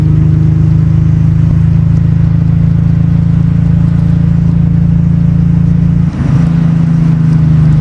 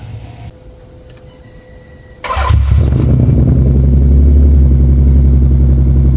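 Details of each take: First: Nissan 300ZX Z32 (VG30DE), bought with a blown motor, running after TPS reset, ECU swap and exhaust rework: steady deep, even exhaust drone with no misses or stumbles; repair successful, sounds far better than before. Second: Nissan 300ZX Z32 (VG30DE) after fitting mufflers, no resonators yet: starter catch, then heavy booming, raspy low rumble at idle, still too loud and obnoxious; resonators needed.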